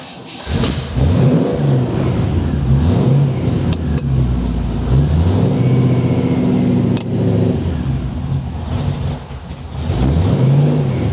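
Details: Classic MGB GT being test-started after its cooling fan wiring was fixed: the engine catches and runs, and a few throttle blips rise and fall cleanly with no knocks or misses. It runs fine.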